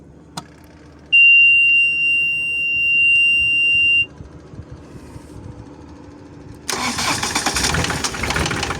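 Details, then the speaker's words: Cat CB24B with a no-start: after reconnecting the starter plug that had come loose, probably from vibration, a steady beep for about three seconds, a pause, then the diesel catches and settles into a busy even run. "Ve makinamız çalıştı."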